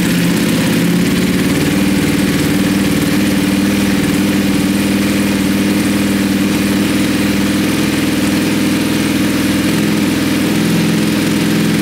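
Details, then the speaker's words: Wrecked 2020 Ducati Panigale V4S, first start: steady, even idle with deep, loud exhaust burble, no knocks, misses or stumbles; earlier a backfire-like noise and smoke, likely oil and fuel vapor burning off engine exterior. "it actually sounds okay"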